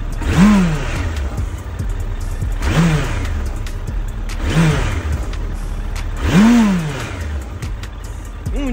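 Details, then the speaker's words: 2008 Suzuki GSF1200S Bandit, carbureted, nearly warm: four clean throttle blips, each rising promptly and returning to steady idle, no coughing or misfire; large engine a bit inert; normal throttle response. "конечно инертный двигатель Ну не сразу пря она она немножко не успеваю Зару газ но но двигатель большой просто объём большой"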